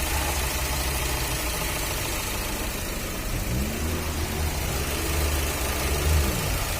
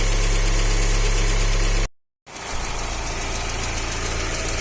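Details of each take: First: Fiat Uno 1.4 Evo Fire after cylinder head replacement, oil pressure about 3 bar: steady low idle with a short rev blip and back down, no knock or tapping; engine sounds healthy, normal idle. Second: Fiat Uno 1.4 Evo Fire, warm idle with cooling fan on, oil pressure 2 bar at idle (3 bar cold); fairly even knock about four a second, mild but audible. Engine knock; cylinder head already removed once before.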